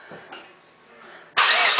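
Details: Starter whirrs steadily spinning a 1993 LT1 V8 swap over at an even rate but it never fires, during ignition testing; ECM signal to the ignition control module pulses 1–4 V AC within spec while cranking.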